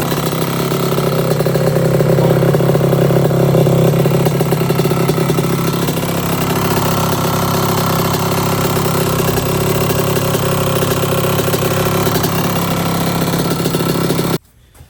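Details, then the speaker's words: 1982 Suzuki RM125 two-stroke during restoration, after suspected carburetor starvation and a part swap: fast, steady buzzy idle with even note before cutting off; sounds nice, seems healthy. "yeah that sounds nice yeah like"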